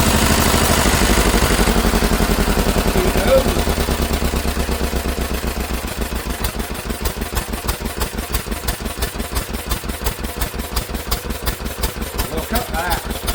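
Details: Old Lister engine, first run in many years after sitting, throttle held open with a stick, governor linkage not yet sorted: steady thump quickening as it gathers speed, even firing with no misses; running sweetly.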